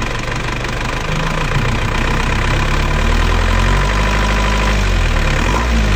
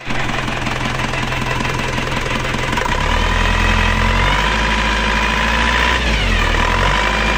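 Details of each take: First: Diesel engine after rebuild with new piston rings and new timing gears, after retarding injection pump timing slightly: steady, softened idle clatter with no harsh jet-like roar; timing corrected, now smooth. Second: Rough, unclean diesel idle with a droning whine rising and falling with revs on an AE 1558 engine, just after engine removal and replacement of two timing gears; mismatched timing gears cause the whine, whereas before repair it ran smooth.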